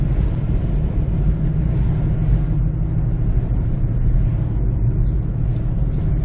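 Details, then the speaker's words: 2007 Honda CR-V Gen3 front tire, about 6-year-old Black Lion tire, recorded while driving: deep steady droning rumble at road speed from flat-spotted, cupped tires; noise moved rear-to-front with rotation and was gone after replacing with Bridgestone Ecopia tires. "so there was some uh flat spot on the old tires that is causing the noise"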